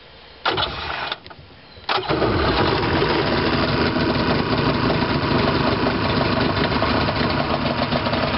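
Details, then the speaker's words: Yamaha Wave Venture 1100 personal watercraft after a rebuild, run out of the water: brief cranking, then catches and settles into a steady, even buzzing run, no misses or knocks, crisp throttle response; normal start and idle. "there it is very crisp throttle response out of the water"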